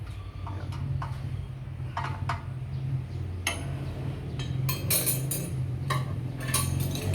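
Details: Tractor engine running after its flywheel was replaced; the old flywheel cracked from over-revving. A steady low drone holds an even pace under metallic clinks from nearby handling, running smoothly.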